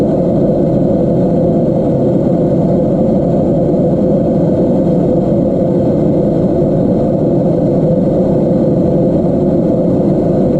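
A loud, steady low rumble with no rhythm or change over the whole run; the fridge is noisy, cause not clear.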